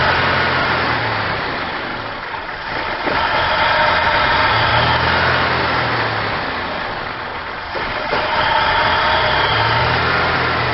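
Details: Supercharged 1999 Buick Regal GS cold start: idle hunts and surges every few seconds with an uneven beat; vacuum leaks from hardened lower injector O-rings and a leaking throttle body gasket; rough idle from vacuum leak.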